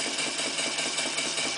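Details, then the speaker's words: A Clarkson inverted steam engine fed by a PMR boiler keeps a steady, rapid, unlabored chuffing. It slows as the Stephenson link is moved toward the central position, letting less steam into the engine; it is running normally. "Hear the engine note changing. The engine's still running. The speed's slowing down because there's less steam actually coming into the engine"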